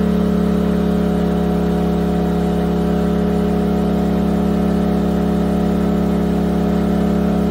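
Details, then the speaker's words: Yamaha EF2000iS inverter generator on propane after tri-fuel conversion, leaned out, Eco mode on low under about 1,400 W load: steady, even drone with no surging or hunting, holding speed smoothly; normal running. "nice on low it doesn't seem to be making much of a difference but it can respond up to the load fairly quickly even on EC mode it's about 1,400 WTS"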